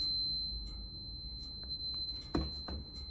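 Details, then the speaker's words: 1982 Honda CT110 (stock 6-volt system) new brake light switch cable on multimeter continuity: steady high beep with button out (brake pulled), off when pressed in; contacts close properly, working cable ready to install. "So when that button is in, that's off. When it's out, you can hear it ring."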